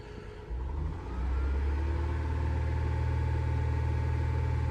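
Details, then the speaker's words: 2012 Honda Pilot 3.5 V6 after fixing a cylinder 6 misfire (P0306) from a bad ignition coil: steady even low idle, no stumble or shake; much smoother, check engine light still on. "Ooh, it already sounds better, much better. We still have the check engine light on. There's some other stuff going on. Definitely a lot smoother."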